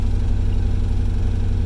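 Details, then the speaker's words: Third-gen Camaro with worn-out 305 V8: rough, uneven, stumbling idle — misfire, possibly bad plugs and wires, ignition system issue or a dead cylinder. "hear how rough that idle sounds that's a misfire"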